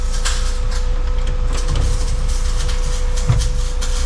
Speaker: Does this one do anything? Oh yeah. That one powers both sides of yours, up and down.